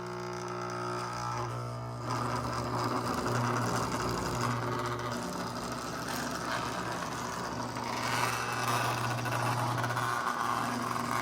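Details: Lionel RS-3 locomotive moving: steady low electric buzz with a whirring hum from the motor. The owner thinks it needs servicing.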